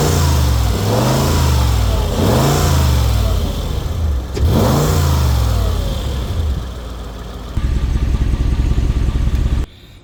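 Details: 2007 Mercedes G-Wagon G55 AMG V8 on a pre-purchase inspection, OBD scan shows no engine codes, battery at 38% health: three quick throttle blips sweeping cleanly up and down, then a steady even idle; normal engine revving.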